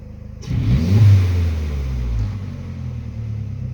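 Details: Speed3 engine starting and settling to a low idle with a slightly uneven, wavering beat; mild rough idle, cause not yet pinned down.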